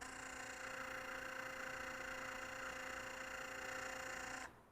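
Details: Philips Sonicare electric toothbrush after tightening the screw to remove play in the drive shaft: clean steady high buzz holding one pitch, no rattle or chatter, then stops; repaired and running smoothly.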